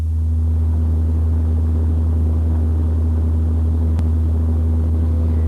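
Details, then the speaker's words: Vehicle cabin booming noise at 90 km/h, where it is most noticeable: deep steady low hum measured at 60 Hz, matching propeller shaft vibration, so an unbalanced or run-out propeller shaft is suspected. "according to the analyzer the frequency of the noise is 60 HZ this frequency corresponds to the frequency at which the propeller shaft will probably vibrate if it is unbalanced or run out"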